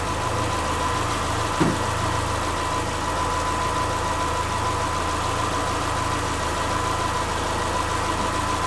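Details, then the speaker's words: Subaru Forester with its EJ25 engine just reinstalled, at first fire-up with valves not adjusted. It is learning its idle and warming quickly, reading 114–120, with the thermostat not yet open and charging at 14 V. Smooth, steady idle with a constant hum and no ticking, knocking or hunting: normal idle. "it's learning its idle and everything so it's gonna scratch so far it's running pretty good"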